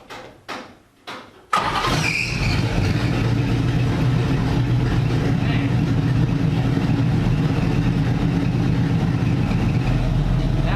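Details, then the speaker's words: NASCAR V8 after swapping in MSD Blaster 2 coils, timing backed from 16 to 14 degrees initial: starter turns, engine catches and settles into a loud, steady, even idle with no misfire or popping; the coil swap fixed the problem. "Now it's rock steady now. 14 degrees initial."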